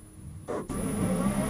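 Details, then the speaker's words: BMW E46 electric drift conversion with an untuned Paul Holmes inverter, driving forward: the motor note jumps and a thin high whine holds over rising drive roar. Excessive regenerative braking; a bad brake smell follows. "sounds like I got a motorbike engine in here oh oh oh damn that's some regen you got there Paul holy"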